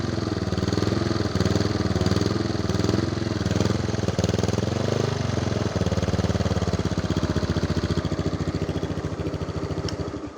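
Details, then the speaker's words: Used, neglected Yamaha Mio scooter single-cylinder engine running with an even, steady beat, somewhat buzzy and vibrating, before switch-off; engine condition judged okay. "Ya itu untuk kondisi mesinnya kalian udah bisa dengar sendiri barusan."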